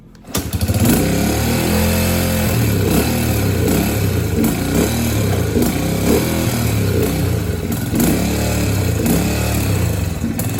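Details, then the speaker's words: Yamaha TT-R125 that smokes badly and leaks fuel from the carburetor, start by kick: single-cylinder fires and runs with uneven wavering beat, hunting instead of steady, won't idle and only runs on choke; rough running, cause unconfirmed. "Doesn't like to idle though, it runs on choke."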